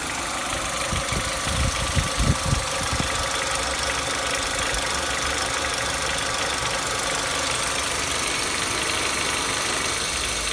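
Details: 2015 Nissan Almera G15, 111,000 km, light irregular ticking about three per second at idle, like a loose nut, inaudible at higher revs, worse after oil change; owner suspects hydraulic lifters, cylinder one.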